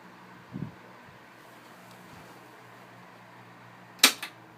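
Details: Vintage 1980s Montgomery Ward VTG48731 12-inch oscillating desk fan made by Tatung, oiled: quiet even low hum of the motor with a couple of switch clicks, a slight high-pitched whine from the motor; smooth and healthy on low speed.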